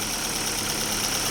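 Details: Daewoo Lanos after a lifter-tick repair: a fallen oil-gallery plug had starved the hydraulic lifters of oil, so four rockers and all lifters were replaced. On first start after reassembly it holds a steady, even idle with a quiet valvetrain.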